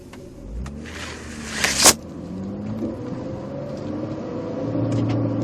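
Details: 2000 Mitsubishi Eclipse pulling away when cold: a low, uneven rumbling/gurgling noise under the engine note that goes away when the clutch is pushed in and mostly fades once warm; brief clatter of handling.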